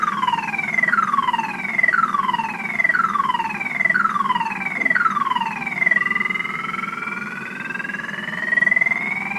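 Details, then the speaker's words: Truck with battery drained by lights left on overnight: loud falling siren sweeps about once a second then a steady wail; the alarm is the only thing still working before jump start. "there see there it goes again that's all she's doing nothing battery's [ __ ] and there she goes again as you can hear this [ __ ] is"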